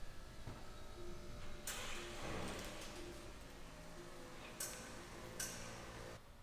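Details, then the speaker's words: Tesla shortly after a warranty drive unit replacement, heard in a quiet garage: loud sharp metallic pings whenever the car starts moving or stops, over a quiet hum; owner suspects the rear drive unit; metallic ping when pulling away and stopping. "So as you can see, that's like a really loud, like tinging noise. Like it's like a metal kind of like ping or something when I'm moving. Whenever I would start moving and stop moving, did not sound good."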